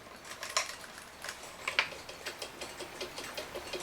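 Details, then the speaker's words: 1969 E. Schmeckenbecher Black Forest cuckoo clock, West German movement, very clean, before oiling: crisp, light, steady ticks with no stalls or scraping. It runs normally, and the plan is only to pull the movement, oil it and probably blow it out. "it ticks so I guess only thing we're going to do with this we'll pull the movement and oil it"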